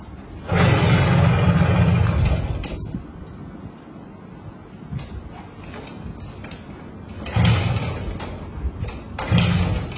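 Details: Honda Win100 motorcycle kick-started: three separate bursts of kick-start churning, each dying away with no firing and no idle; the engine turns over but won't start.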